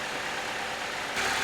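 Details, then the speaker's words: 2007 Chevy Cobalt with oil replaced by 10 lb of melted paraffin candle wax, engine about 141°, oil pressure low at about 20 PSI: quiet, even idle with a soft hiss, no tapping or knocking yet; normal idle. "But, it sounds good. No freaking way. All right, so it's quiet. Like suspiciously quiet."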